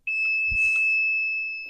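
One unbroken high-pitched beep holds for nearly two seconds near the panel; the tester is too sensitive and alarms without real contact.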